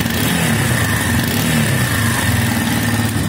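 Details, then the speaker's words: Minsk X250 single-cylinder after fitting a used cylinder with its original piston and rings from 18,000 km, replacing new parts that knocked loudly. It now idles evenly and revs cleanly with no tapping or extraneous noise. "Цилиндр с родным поршнем и даже с родными кольцами и что мы имеем то есть мультик заводится посторонних звуков нету"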